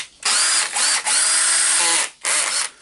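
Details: Makita BHP453 drill after repair of the gear assembly spring, tested in short trigger bursts: a high, even motor whine winding up and down cleanly; runs smooth and healthy.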